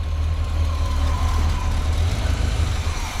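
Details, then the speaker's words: 1986 square body truck engine first started after being parked nearly 20 years, with little done to it; deep steady low rumble with an even beat, no misses, knocking or smoke; idling smoothly and sounding healthy. "yep hear that it's running why is it so quiet why does it sound so good it does sound good oh my God this thing purs like a"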